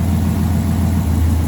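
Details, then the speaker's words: V8 idle logging P0352 (ignition coil B circuit): lumpy uneven thump that intermittently misses then recovers; cause is loose pins in the coil's Molex plug wiring, fixed by repinning/replacing the plug, not the coil. "You can just hear it chooching, right? There it goes, it's missing. But now it's back. And now it's missing. That's what's happening. It's this wire, the plug is loose."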